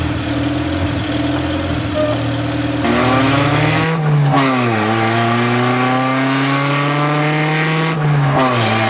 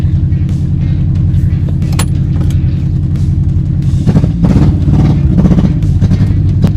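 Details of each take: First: Honda CRX project car after correcting the firing order and fixing bad ground wires, no catalytic converter; loud raw exhaust climbing and falling cleanly and evenly, better throttle response — normal running. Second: Project Honda CRX engine idling high, near 1500 rpm, sluggish with no throttle response: a lumpy, stumbling, V-twin-like beat. Owners suspect timing or not firing on all cylinders.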